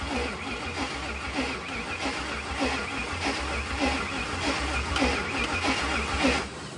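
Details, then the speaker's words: Lightning-swapped supercharged V8 Mustang, first start on Holley Terminator X with only a basic wizard tune and wideband: runs quietly but unevenly with lumpy pulses about once a second; rough idle, tune suspected not ideal. "Okay, the tune is probably not quite ideal. There's a lot of things going on here, but I just kind of want to let it fire up."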